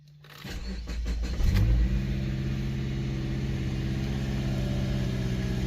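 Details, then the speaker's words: 2013 Subaru, about 88,000 miles, before its exhaust replacement, with pipe welded a year earlier: loud, deep, blatty rumble at idle, louder when put in gear. The exhaust gasket is leaking and the muffler is rotted; exhaust leak. "can you hear it running good but let me put her in gear and you'll hear it that's right you see a little loud"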